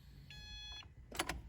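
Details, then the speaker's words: Subaru WRX after an engine rebuild, fuel pump fuse reinstalled after oil priming, key turned to run: a brief, steady electric hum for about half a second, then a clunk; a normal fuel pump prime before a successful start. "so um let's just turn this to the run position a couple times i can hear the fuel pump running so let's just do that to get some fuel into the system"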